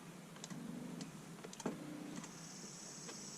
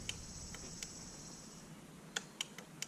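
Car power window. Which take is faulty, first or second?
second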